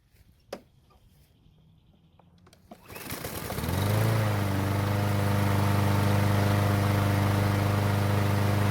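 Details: Troy-Bilt mower that wouldn't start after winter, test-started after the fix using its original gasoline poured back in. Quiet at first, it catches after a couple of pulls and settles into an even, steady hum with no misses: running normally.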